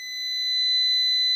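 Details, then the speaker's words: New PowMr 3.2 kVA / 3000 W inverter under diagnosis after showing error 27, which turns out to be a firmware error. A continuous high-pitched alarm tone swells then holds until the buzzer is disabled. The processor is possibly overheating. "Спробуємо пищика відключити все примінилося Пищик відключився значить він реагує на вхід хоча помилочку б'є по процесору"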